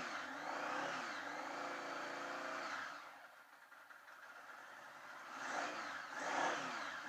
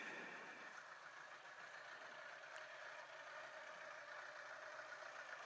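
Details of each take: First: 1980 Honda Goldwing on first start after sitting many years, carbs just rebuilt, on choke: uneven bursts with rising and falling revs, rough running; further carb tuning needed. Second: 1980 Honda Goldwing four-cylinder, sat for years, first start after carb rebuild, mic on owner's head: soft, even, steady idle with no knocks or misses on choke; some smoke burning off, owner thinks it may be slightly lean; running fine.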